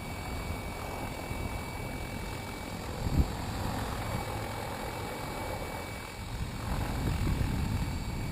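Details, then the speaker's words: Logo 600 12S helicopter on a single 6S 5000 pack, headspeed about 1050 rpm: steady motor hum with soft, lazy blade whooshing; rotor blade noise at low headspeed. "that pretty cool like that doesn't it yeah you can hear the blades"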